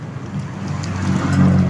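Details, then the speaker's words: Micromatic single-tub washing machine test run with clothes and detergent after gearbox repair (owner had complained it was noisy); steady low hum and water sloshing as it builds speed, spins strongly with no leaks underneath – normal wash agitation. "oh malakas naman siya okay namang umikot nice saka dito sa ilalim kung titigan niyo Wala naman siyang tagas"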